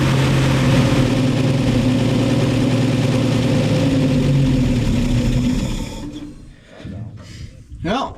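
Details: 1961 Chevy dump truck on old gas: uneven, lumpy running near four beats a second that falters and dies; rough idle, owner suspects carburetor and adjusts idle and air screw.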